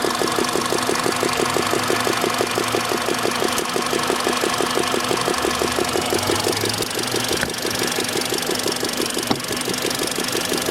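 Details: Petrol engine, 58,559+ km, warm (74–90°C) idle: sharp steady ticking knock about three a second, quiet when cold; owner suspected hydraulic lifters and planned to try an oil additive.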